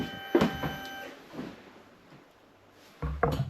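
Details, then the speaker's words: Royal Enfield Interceptor 650 with Eagle Eyes DRL lights temporarily wired through a relay: ignition on, gauge and fuel pump sound first, then one sharp relay click about three seconds late; relay slow to switch on. "Oh, I heard the relay switch on, they're quite bright. Let's do that again. The relay doesn't seem to switch on straight away."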